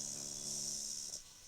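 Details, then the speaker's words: Old Sony music system with added USB/Bluetooth/FM module fed at 10 V: steady low buzz with hiss cuts out abruptly once an earth wire is connected, leaving amplifier quiet and clean; hum fully gone. "बिल्कुल बंद हो गई दोस्तों, देख रहे हैं ना।"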